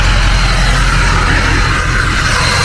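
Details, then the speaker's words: Ford 6.0 Powerstroke diesel after replacing the 22-year-old turbo and reseating a loose number one passenger-side injector: loud, steady roar with smooth even turbo whistle, no chopping or surging; turbo spools properly, normal. "actually sounds like a jet now. No chop, no nothing. Like it should."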